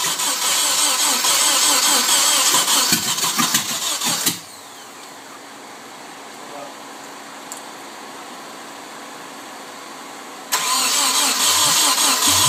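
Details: Nissan 240SX KA24DE with rebuilt head, 5-speed conversion and timing confirmed correct, cranked with the fuel pump fuse removed. It cranks steadily, pauses and cranks again without firing, despite spark and fuel. It only sounds close to starting when the gas pedal is pumped.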